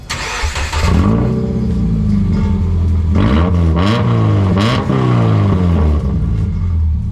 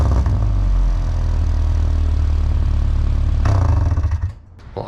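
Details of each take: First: Subaru in salt-belt Minnesota with rusted-through exhaust broken in half at an old pipe repair, effectively straight piped before a new resonator is fitted; cranks, catches and revs with a loud, raw, unmuffled bark and drone on each blip; broken exhaust. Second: High-mileage Subaru after repair, old rusted exhaust section replaced with a glass pack and cheap aftermarket muffler; deep, steady low drone through a short rev, no raspy blowing or rattling; sounds much better, exhaust sealed and healthy.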